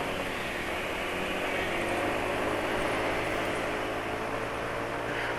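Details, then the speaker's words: Yamaha NMAX scooter at steady idle: coarse, gritty mechanical clatter over the exhaust. Suspected source is internal, possibly camshaft or bearings near the cylinder head rather than piston rings; cause unconfirmed. "Hai yang bikin berisik sepertinya bagian dalemannya entah website hanya entah noken as-nya bearing yang sekitar Head Silinder itulah Hai itu yang menurut penulis bikin terisi hai hai"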